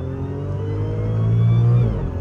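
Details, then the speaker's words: Rebuilt 2014 Audi S4 supercharged engine pulling hard under acceleration, steady mechanical supercharger whine rising with revs, smooth and even; healthy supercharger whine. "this supercharger is just so intoxicating as much as I love a turbo there's something about the Instant Power of a blower that just changes all things and then the wine is just a bonus"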